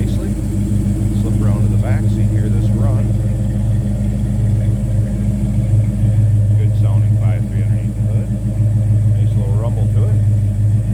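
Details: 1970 Chevrolet C10 with 5.3L LS V8: deep, even burble at idle, steady and unhurried with no misses or ticks; healthy engine with a good rumble, normal idle.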